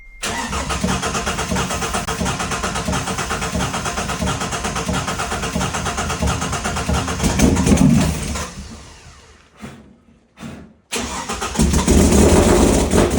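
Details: Turbo Ford EF XR6 started for the first time in about 18 months with a damaged motor: it runs lumpy and uneven with a stumbling beat, then dies and restarts, from a dead cylinder with low compression.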